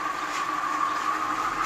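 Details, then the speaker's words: 2017 Audi Q7 with a supercharger: a steady, fairly high-pitched whine holds over the running engine, the sound of a bad, failing water pump hidden under covers, air box and strut brace. "[Applause] that's the sound of a bad water pump of course you can't see anything with all these"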